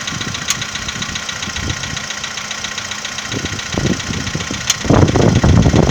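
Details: 2015 VW Polo Sedan, cold morning start: a light, even tapping at about three a second over the idle. The owner asks whether it is piston knock; the cause is unconfirmed.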